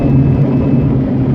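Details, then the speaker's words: Mazda RX-8 rotary under hard throttle (50% or more) near 7,000–8,500 rpm: a tinny metallic buzzing rattle over the engine scream, absent under light throttle, with no performance change. Cause was a loose heat shield. "Now if I gun it, that's where you hear it. Alright, feels like something is hitting against something else."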